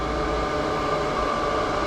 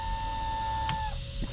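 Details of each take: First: Bilge blower on a MerCruiser-powered Manta Ray boat, tested during electrical troubleshooting, running with an even, constant mid-pitched whirring hum with no rattle or scrape; normal blower running. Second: MerCruiser-powered Manta Ray boat during an electrical check on a battery charger, nav lights and stereo dead; thin horn tone holds about a second then sags and cuts out, sounding starved for current; weak horn, likely weak supply.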